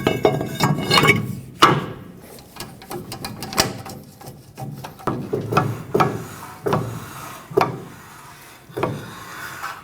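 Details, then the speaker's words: 2011-2016 Ford F-350 rear, after a rear wheel bearing replacement and widening the parking brake adjuster: hand-spun rotor gives a faint light scrape about once per turn with no drag. Parking brake shoes lightly touching, correctly adjusted. "Okay, I can hear them touch just a little bit. That's exactly what you want from parking brake shoes. You don't want to hear them drag."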